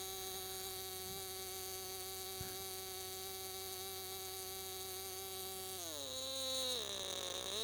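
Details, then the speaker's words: Enya SS45 model two-stroke glow engine, freshly rebuilt with new bearings, 10% nitro with extra castor, Top Flite 11-5 prop: high, even buzzing whine, then pitch drops smoothly as throttle comes back, slight normal vibration; runs clean. "everything looks straight while it's running slight vibration anything normal from a nice two-stroke motor like this"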